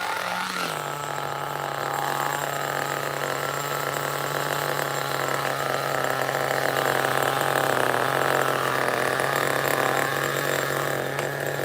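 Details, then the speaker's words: 2002 Tamiya Terra Crusher 1/8 nitro monster truck, FRAT 2-speed: steady low, slightly loaded buzz at low idle; super weak clutch springs let the clutch engage on its own at idle. "so the clutch spring is super weak it's engaging on its own even though the idle you can hear the idle is low"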